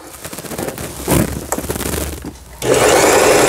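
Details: Heavily used Elna 220 sewing machine after repair of belt slack, misaligned lower-shaft gear timing and replaced needle plate: steady fast whirring hum from motor and stitch mechanism, smooth once going; stitching upper and lower thread properly.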